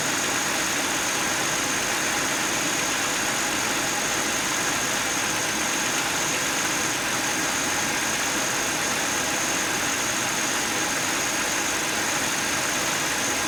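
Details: 2009 Buick Lacrosse, 3800 Series III V6: a steady idle overlaid with a constant high, airy whir that never changes. A bad water pump bearing.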